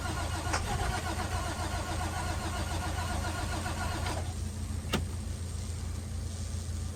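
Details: International WorkStar work truck: steady starter churning with an even low rumble, engine never catches or picks up speed. Crank no-start.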